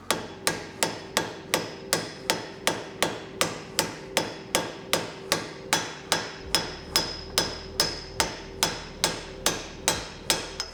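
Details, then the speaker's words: Datsun rear wheel bearing being driven in with a hammer and socket: steady blows about two and a half per second, ringing sharper as the sound changes; bearing driving home and seating correctly. "I don't know if you hear the sound changing, but that's basically what we want to hear there. So that's really good."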